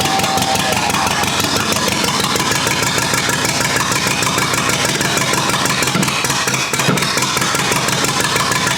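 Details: Rebuilt U23 engine, first start after 25 years, choke up, idle mixture screw about two turns out: uneven, lumpy idle pulses that stumble and falter; carburetor not yet supplying enough fuel at idle.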